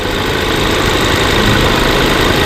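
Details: 2018 Range Rover Evoque petrol engine idling rough with an uneven, slightly knocking beat and misfire; air leaking at the PCV valve on the cover — rough idle from PCV valve vacuum leak.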